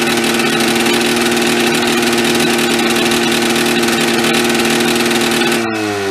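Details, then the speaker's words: 440 snowmobile engine in an old golf cart, two-stroke at steady fast idle: uneven, blubbery buzz, loaded up and rich, dropping off near the end; owner suspects too much oil from a still-working oil feed, plans to pinch the line. "thank you yeah definitely it's got to be too much oil I wonder if that oil feed is still working in some fashion it's definitely loading up"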